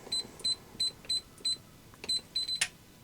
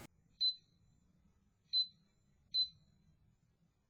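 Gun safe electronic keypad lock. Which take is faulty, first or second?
second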